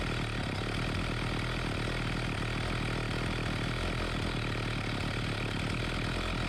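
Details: Homelite 4218C chainsaw that had bogged and stalled, after the carburetor was tightened, its screws adjusted and fresh fuel added; steady, even two-stroke buzz at a constant idle with no stumbles or surging; running cleanly.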